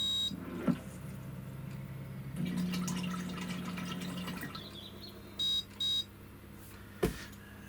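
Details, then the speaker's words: Kalk King wet test, pumps in a water container, pH probe, mixer and float valve connected: short beeps, then each pump hums in turn and the impeller whirrs softly, quiet with no rattle; healthy start-up test sequence, vibration acceptable. "it will go through its test sequence which i think is a buzzer and then it will operate each pump in turn and then it will spin the impeller"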